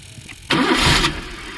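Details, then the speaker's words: Maruti Suzuki Eeco on CNG/petrol: cranking burst that catches for about half a second then sinks away, engine won't keep running; dashboard lights fine, mechanic blames the gas-petrol changeover switch and plans to open it and adjust the lines directly. "গাড়ি কিন্তু স্টার্টে থাকছে না। দেখো এই গেল গাড়ি তো start হওয়ার কথা, স্টার্ট হচ্ছে না।"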